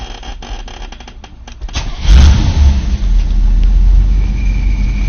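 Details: 1983 Camaro, 5-speed manual, a few days after clutch replacement: at idle a thin steady high squeal from the clutch release or pilot bearing, present before and after the job; light clutch pedal pressure silences it, returns on release.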